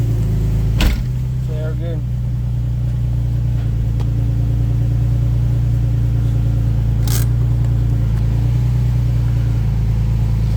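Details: 2004 Nissan 350Z, 6-speed manual (CD002), after replacing the throwout bearing and sleeve. Steady, even low hum at idle in gear with no bearing chirp or grind; the clutch release side sounds healthy.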